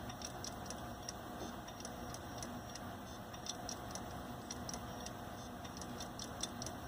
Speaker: Yeah, I think we got a problem here. Go back up to the PC here. My Donald Trump video that I was watching stopped loading as this drive starts to lock up and do weird stuff.